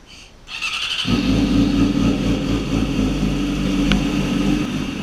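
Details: Yamaha R6 (2006-16) after the left stator cover was refitted with a new gasket and torqued to spec: starter spins briefly, engine catches cleanly into smooth even idle, no whir. Normal start and idle.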